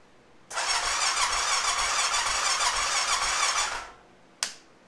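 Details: 2005 Honda TRX650 Rincon, 650cc single-cylinder four-stroke, tank full of fresh fuel, tried on full choke: the starter whirs steadily for about three seconds and the engine never fires. Fuel delivery issue suspected.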